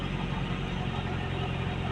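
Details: Nissan Sentra GA13 petrol engine with hard starting: loud, rough low rumble at idle with rpm not stable and not settling; no cause stated.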